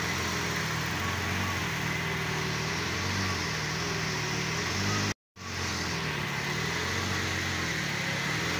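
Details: Petrol vehicle, after charging regulator repair, restarted after overnight parking with battery at 12.4 V and coolant checked: smooth soft even idle hum with gentle speed swings, no misses or knocks; normal idle.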